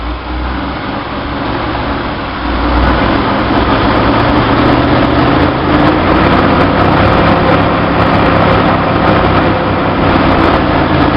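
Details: 1966 Chevy Sportsvan stock 230 six with new Weber 32/36 2bbl carb on stock manifold; fast steady high idle from vacuum leak, engine got louder as throttle closed.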